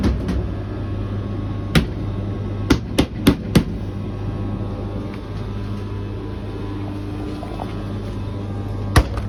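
Steady low motor hum broken by a quick cluster of heavy thuds, then another later: irregular knocking inside the dryer, cause unclear.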